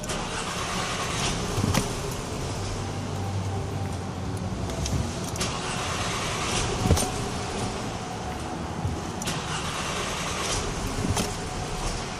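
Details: 2012 VW Eos cranked after running 30 minutes and sitting off for 15 minutes; engine turns over steadily for several seconds with scattered clicks but never catches. Hot no-start, cause unknown.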